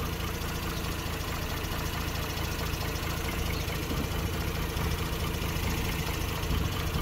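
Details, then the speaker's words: 2006 Mazda RX-8 rotary, warm, with hot-start trouble (owner suspects low compression from failing apex seals): deep, uneven, lumpy idle while the coils are scoped; the ignition looks fine, so the rough idle's cause is not found. "okay so you can hear the lumpiness that's fine the first lead next lead that is definitely doing stuff"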